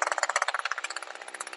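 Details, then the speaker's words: Two-stroke Echo SRM string trimmer with a HiPA replacement carburetor, high-speed screw being tuned: a high, buzzy full-throttle run with an occasional deeper pitch and a soft, regular burble, so the top-end mixture is set right. "so just that pitch change in the rpm once a while it gives it deeper instead of the high-pitched lines um that's right where you want to be"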